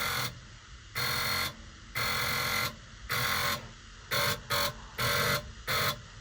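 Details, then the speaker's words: 1967 truck with no brake lights or turn signals, with power reaching a wire to the column but none after: with the turn signal on, a box makes a harsh electrical buzz in uneven half-second bursts about once a second. Owner assumes the box is bad. "And whenever you hit the turn s signal, this box right here makes that noise."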